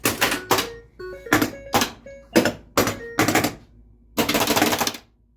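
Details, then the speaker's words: Harlem Globetrotters pinball after LED playfield work and attempted Altek CPU upgrade: rapid volleys of loud clacks, about seven in five seconds, slingshots and pop bumpers firing nonstop at game start, with display flicker; uncontrolled solenoid firing, cause unknown. "slingshots are going crazy pop bumpers are going crazy sounds like a freaking popcorn machine down here"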